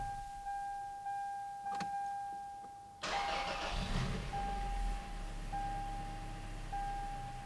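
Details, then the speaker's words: 2004 Toyota Tacoma 4-cylinder after replacing the idle air control valve on the throttle body: engine restarts, fires about three seconds in, jumps to 1200 rpm and settles smoothly to 750 rpm with no hunting, steady chime behind; normal start and idle. "all right so we jumped up 1200 and we settled back down to 750"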